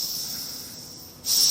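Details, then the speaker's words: Home-built Webster model engine, exhaust valve block on a Schrader-valve test rig before valve grinding, cylinder side pressurised: thin high steady hiss as pressure holds; leak-down confirmed coming through the gasket. "there's a definite leak down. So the question, where's that leak coming from? And we'll put a little bit of TRC there and repeat the test. And you can see it's actually coming out through the gasket."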